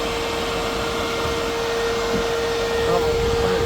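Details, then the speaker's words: 2026 Can-Am Outlander electric ATV after the hot-coolant warning came on: a steady, even fan whoosh with a constant mid-pitched hum, no rubbing or rattling; the cooling fan is working normally and the front gearbox is only slightly warm. "You can hear the fan uh, turning on. Come on. It's awesome, right? Um, but everything's cool. As far as I know, it's working like it should."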